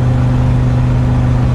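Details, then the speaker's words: 1990 Fleetwood Bounder Class A motorhome with a big-block Chevrolet engine, warmed up and driving under road load: loud, deep, steady drone with a raw, open exhaust note; the exhaust manifold donut gaskets are believed to be completely blown out and are due for replacement. "one thing to have a bit of an exhaust leak but I think the photo gaskets at this point are completely blown out"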